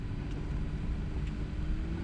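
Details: Audi Q7 heater blower motor after removal, cleaning and lubrication, refitted and run up through speeds one to twelve: steady low hum, faint even tone, no squeak or rubbing yet, blowing fine; squeal later returned, so owner replaced the motor with a new one.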